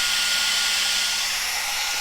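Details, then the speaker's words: Cascade DS-925 hair dryer on high after repairing a no-heat fault; air now warm, reading around 75. Steady high airflow rush, constant motor tone, no rattles or cutouts; running normally. "that's definitely more than I was before and definitely feels warm so that's good"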